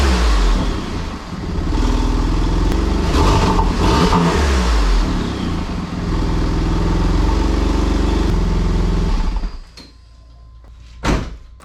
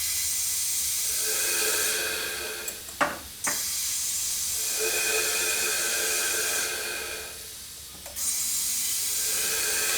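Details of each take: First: Porsche 996 Turbo after boost and vacuum leak repairs: the flat-six catches and revs cleanly with a steady, even beat, no misfires, no hiss and no air sucking from the top of the engine, then shuts off. Running well. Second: Porsche 996 Turbo: a steady, airy hiss swells, holds a few seconds, then drops away as boost bleeds past a poorly sealed silicone intake coupler. There is also a leak down at the turbo; it now holds some pressure where it held none before.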